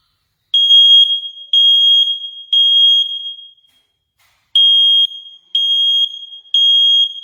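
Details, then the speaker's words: First Alert combination smoke and CO alarm, battery operated, made 2018, battery recently changed, previously near-silent: after 5-10 minutes it sounds loud, piercing high beeps in groups of three at full volume; normal smoke alarm sounding. "However, after 5-10 minutes, I can see the normal sound coming out of device."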